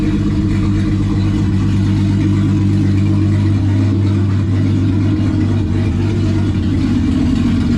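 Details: Turbo VR6 after rebuild, with the open throttle body tied together to improve idle: steady, even low drone near idle with no misses, knocks or hunting; smooth running.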